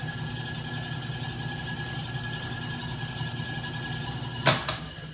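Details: 1967 Logan model 1875 lathe on a Phase-a-matic static single-to-three-phase converter at 240 V, after new wiring. Motor runs in reverse with the drive in neutral: a steady even hum, faint constant tone, one click. Parts stay cold to the touch. Normal running.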